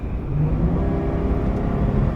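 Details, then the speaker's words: Trailblazer/Envoy 4.2 L after engine swap, driving under load: deep steady engine note pulling smoothly over road rumble, no knocks or misses; gets up to speed easily with decent power; normal acceleration. "So the vehicle runs well, has no issues. Steering wheel is straight. It gets up to speed easily."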